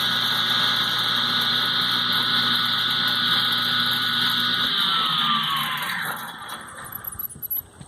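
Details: Older Delta Rockwell table saw rewired with a new heavy-duty switch: a steady mains hum with a bright, even whine at full speed, then a smooth wind-down after switch-off; normal running.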